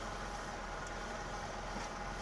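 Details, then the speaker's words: Suzuki Katana, engine cold and not yet driven, comparison with and without thermostat, carburettor setting stable; quiet even idle, steady low hum, no misses or hunting; normal cold idle. "Ini sudah untuk settingan karbonnya ini sudah stabil loh, walaupun mobil ini keadaan dingin loh."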